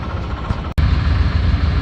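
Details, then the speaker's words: 1994 Chevy G20 van just started after replacing worn transmission speed sensor O-ring that leaked fluid: steady, even low idle rumble with no knocks or misses while warming up; no weeping at the sensor, normal idle. "well it's running as you can hear and I don't see any weeping from the park with the new o so that's good"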